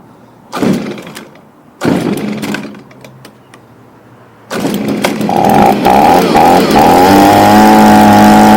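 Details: Stihl BG55 two-stroke leaf blower after fitting a new replacement carburetor for a torn-diaphragm no-start: two pulls, fires, revs to a steady high whine that settles slightly, clean even running; normal run.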